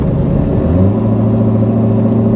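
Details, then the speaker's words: Katech C7 Corvette Z06 driving after a rear differential fluid change, oil not yet fully up to temperature: steady engine and road hum under light acceleration with no whining, clunking or knock from the rear end. The differential sounds healthy. "the rear end sounds great. I don't hear any noises, no whining, no clunking, no weirdness."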